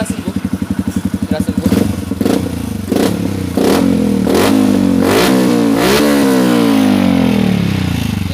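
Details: Yamaha motorcycle that had rough, stumbling low idle and stalled on throttle with a lean AFR. After cleaning the injector ultrasonically, the fuel filter and throttle body, and soldering a broken O2 sensor wire, it was warmed about 10 minutes to nearly 80°C. Idle is now even and it revs cleanly without misfire.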